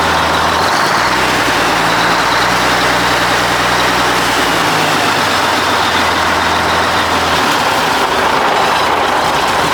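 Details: 1980 Mack FR700 diesel truck idling after restart, following an oil leak fix and first start in 10+ years: steady, low, even idle with no knocks or misses, wind rush over it.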